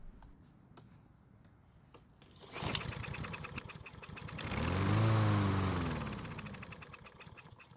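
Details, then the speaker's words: Troy-Bilt mower with auto-choke carburetor, not starting after winter storage, hand-primed with fuel: catches, surges a few seconds, then dies; runs only on prime, fuel not reaching engine, main jet suspected clogged. "so luckily it started and ran for a few seconds but unfortunately it did not stay running that means it only ran on the fuel we put into the carb and the fuel that's already in the carb is not getting to the engine that means we need to get to the carbon inspect the main fuel jet for a clog"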